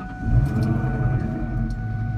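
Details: 2004 Ford Mustang GT manual clutch noise shown first with the clutch pedal released, then pressed: a steady, loud high whine over a lumpy V8 idle. Owner and mechanic suspect the throwout or pilot bearing; not confirmed.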